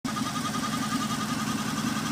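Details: Oldsmobile Aurora 4.0 V8 at idle: steady, even-pitched whine above a rough idle rumble, unchanged through the clip; suspected water pump whine alongside an exhaust leak, unconfirmed.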